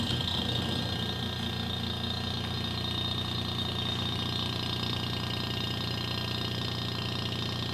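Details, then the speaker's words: Tecumseh refrigeration compressor running: steady low hum with rapid rough knocking, like a small engine idling; one of the three internal suspension springs came loose, leaving the compressor on two springs and knocking. "e é por isso que você está escutando esse barulho porque um compressor foi projetado para trabalhar com três molas e como ele tá com duas causou essa deficiência nele e esse barulho no compressor"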